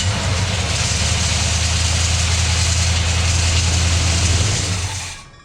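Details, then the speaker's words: 1981 Chevrolet C10 shortbed with a starter shimmed 100 thou: steady idle with a loose tinny rattle on top; washer on the starter suspected to be touching the flex plate. "we got a rattle and we think that that uh washer is touching the flex plate"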